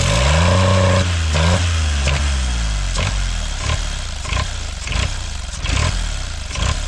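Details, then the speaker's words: Kubota L722 0.8-litre 3-cylinder diesel engine runs away at start-up, screaming at a steady speed far above idle with no throttle control; levers do nothing, injector pump rack/plunger possibly stuck at full fuel. "So, as you saw earlier in the video, it was as soon as I started the engine, it revved uncontrollably, and I had no throttle control."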